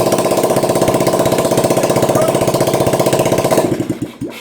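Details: 34-year-old Honda ATC three-wheeler, single cylinder, started on choke after sitting, while checking sluggish electric starter cranking; steady, even thump, then winds down and stops; starts and runs cleanly.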